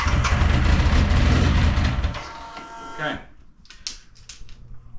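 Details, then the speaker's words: BMW K100 café racer on first-ride testing, fully reassembled except lights and indicators: heavy low rumble fades as the engine cuts out, then only faint clicks as restart attempts fail; stalls and cranks but won't restart, yet later starts first time. Cause unknown; owner plans checking wiring and connections under the tank. "it'll cut out but then it won't start again and it won't start doesn't well you'll see this is what's happening at the moment so any advice appreciate it"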